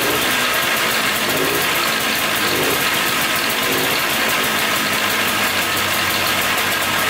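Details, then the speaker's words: $250 Polaris Trail Boss 250 4x4 ATV, new starter, carburetor cleaned, running with clutch removed: harsh raspy hissy idle with high clatter; abnormal engine noise, quieter without clutch, owner suspects clutch misassembled or worn, unconfirmed. "all right so it's a lot quieter without the clutch so that's good um so i think the clutch was just maybe put on wrong or something i'm not sure maybe it's just really worn out"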